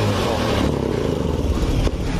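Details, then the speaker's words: Honda Beat Pop scooter held at full throttle stays low and flat and will not rev; fuel pump pressure is normal at 40 psi; idle is normal; the cause is a faulty TPS throttle position sensor. "kita gaspol box mesin tidak Meraung padahal ini gaspol"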